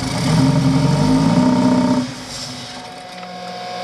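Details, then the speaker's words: Subaru BRZ on a new short block, first start, flooded after fuel pressure line was hooked up wrong; held at about half throttle, uneven stumbling beats, then drops off and sputters lower; rough running from fuel loading. "it's trying it's going to suck a lot of that gas out so don't use the throttle just let it idle because there's a lot of gas on that intake it's just choking"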